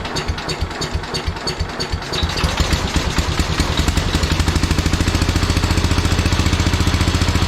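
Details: Early-1970s International Cub Cadet 129 garden tractor whose engine was stuck after sitting many years: a rough catch, then from about two seconds a steady, even thump of firing pulses. The single runs cleanly.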